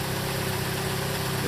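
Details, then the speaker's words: Hyundai/Kia after replacing the worn rubber star-shaped steering coupler: the engine idles with a steady hum and the power steering works, with no clunk when turning the wheel; the steering noise is fixed. "Anyway, we still got power steering, but you guys notice something? You don't hear that clunk, clunk, clunk,"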